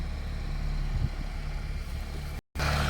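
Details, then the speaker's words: Mitsubishi E-Car, warm, after valve adjustment, new injectors, spark plug wires on all 4 cylinders and fuel control tuning: low, steady, even idle with no misses, dips or hunting; runs smoothly, no engine light. "โอเคขับดีประหยัดน้ำมันเชื้อเพลิงแน่นอนนะครับเครื่องเดินเรียบไฟไม่มีโชว์"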